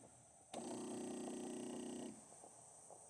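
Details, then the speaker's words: 2018 Mercedes CLA 250 with no boost (P0299) after a turbo replacement. A new non-factory boost control solenoid is actuated with air supplied, giving a steady buzzing hum for about 1.5 seconds that cuts off cleanly; the solenoid works normally. "And it, hopefully you can hear on camera, it's got a way stronger, deeper pulse. Actually feeling it and hearing it, and smoke comes out of there when we activate it."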